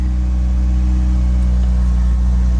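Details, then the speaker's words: Tiny automatic car with a key card at a salvage auction, just after a cold start. It fired right up with good oil pressure and no warning lights. Smooth, even low hum with no knocks or misses: normal idle. "oh the keys in it okay fired right up good oil pressure"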